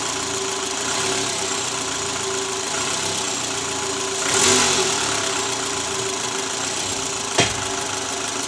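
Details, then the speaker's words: 2012 Toyota Alphard ANH20, 2AZ engine at 100,000 km, idling after the worn balancer shaft was replaced. It previously rattled under the oil pan, worst at cold start. Now a steady, even four-cylinder idle with a light hum and no rattle; runs smooth. "Oke, teman-teman. Jadi sekarang suara mesinnya lebih halus dibandingkan sebelum kami mengganti balancer."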